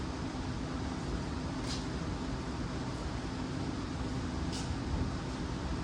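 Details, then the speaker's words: 1990 Dodge Ram truck at a steady, even idle with no knocking or misses, freeze plugs just replaced, run to check whether it overheats; door opened for exhaust fumes. "So we're going to start it up and let it run and see if it gets hot."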